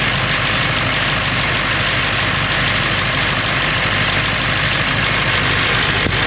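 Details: Late 1999 Ford F350, 7.3L Powerstroke diesel idling: busy, uneven metallic rattle over the steady engine clatter, more pronounced under the truck; owner wonders if flexplate or engine, cause unconfirmed.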